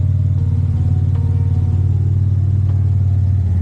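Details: Cadillac CTS turbo LFX 3.6 V6 after teardown (LF4 rod bearings, King mains, +15% fuel cam), first restart with exhaust dumped: loud, deep, even rumble with steady pulse, no knock or rattle; small V-band exhaust leak noted, otherwise healthy.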